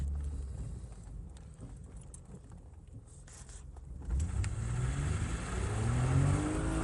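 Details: 1995 BMW E34 525i, 2.5 L (believed M50), after spark plugs and coil pack studs failed to cure a misfire with no check engine light, then new coil pack boots: settles from idle into clean, even rising revs; normal running.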